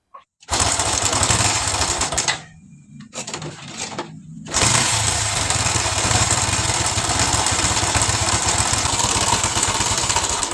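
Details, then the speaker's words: Honda Revo Absolute engine, noisy from the left side around the cam chain, with a failed oil pump gear causing oil starvation: dry, fast ticking clatter at idle; camshaft found badly loose and worn, running dry from lack of lubrication. "ini untuk Revo Ini masalahnya Enggak cuma di katang teman-teman ya ini noken asnya juga ini oblak ini nah ini ini bagian nooken asnya ini udah goyang parah ini justru ini yang jadi masalah itu sebenarnya"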